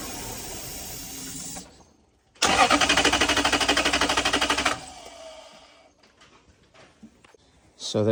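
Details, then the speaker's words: 1998 Toyota Celsior crank-no-start: with carb cleaner poured into a vacuum port, steady cranking of about three beats a second, a brief catch, then it dies; fuel-related, fuel pump and aftermarket crank sensor suspected, not confirmed. "So I'm gonna pour some in there now and show you guys that the car starts but then shuts off. So it's a fuel related issue."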